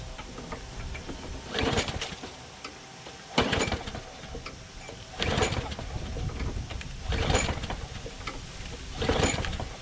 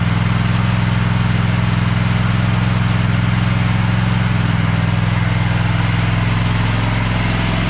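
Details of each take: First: Craftsman push mower, running: sharp metallic clank about every two seconds, like grinding on something. The blade is suspected to be hitting the deck underside or baffle; a sheared flywheel key was also considered; unconfirmed. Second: Craftsman push lawn mower started on choke after a split, loose part was replaced: a fast, even single-cylinder putter with no surging or dropouts, so the fix worked and it runs normally.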